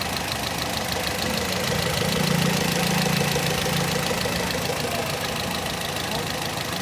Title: Toyota GLi Sound Problem | Tappet Setting | Chaudhry Motors Workshop Dunyapur